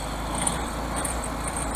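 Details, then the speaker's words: 1971 VW Super Beetle air-cooled flat-four, third carburetor fitted, timing set, freshly started after sitting; steady even idle with slight unevenness, no knocks or rattles, sounds nice and tight; minor adjustments still needed. "The motor itself sounds really nice and tight. It really does."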